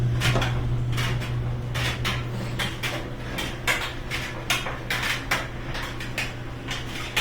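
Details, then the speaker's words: GE dryer after new front bearing, idler wheel, glides and felts plus lubrication, running with clothes: uneven metallic clinks two or three times a second from a zipper hitting the drum; dryer otherwise running fine, no screech. "So we hear a little metal sound, but that's just the zipper banging around on the outside. It's good."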